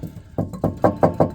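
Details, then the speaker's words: 2002 Toyota Prius, jacked up: heavy metallic bangs quickening as the axle spins, a thumping clanging noise from the separated harmonic balancer/vibration damper on a good CV axle; fix is cutting off the loose damper. "you'll be driving along and you hear this thumping rattling clanging banging noise it sounds like somebody's hitting the bottom of your car with a hammer"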